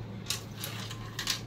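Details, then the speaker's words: Bajaj Pulsar NS motorcycle fuel tank, removed and shaken: light metallic clinks of a loose screw inside, the rattle heard since purchase when riding over cobbled streets. "pues desde que compre la motocicleta tiene un pequeño ruido como si trajera algún tornillo flojo por ahí"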